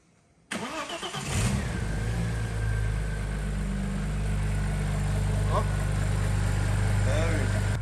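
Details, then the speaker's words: 2000 Audi B5 S4 after removing and repairing the oil pan/sump damaged on a speed bump: cranks briefly, catches at once, smooth even idle with steady low hum, no knocks or ticks; sounds better than before. "Buzzing about that. Sounds better than it did before. Just needed a service."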